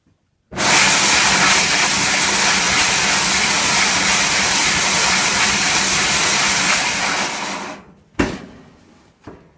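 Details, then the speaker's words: Frigidaire clothes dryer with drum felt seal completely worn off: a harsh, steady hiss and scrape the whole time the drum turns, then it cuts off. Drum rubs metal on metal; the fix is replacing the felt seal. "It's basically down to metal on metal because the old seal is completely worn off, and I'll show you what it sounds like."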